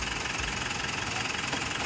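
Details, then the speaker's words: Mitsubishi Montero/Strada 4N15 diesel after throttle body replacement and clearing fault code P0638, no check engine light; even idle clatter at steady speed with no catching, scraping or grinding, normal idle. "Start na okay na wala check engine malinis na rin Ong system lahat ng system wala namang fult code bale normal lahat anan Okay na good job"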